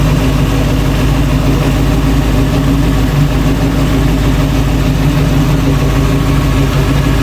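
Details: 1966 Ford Bronco after full restoration, first start with the engine behind a transmission (previously only run on a stand): steady, even low V8 rumble with regular firing beat, no knocks or misses; normal idle.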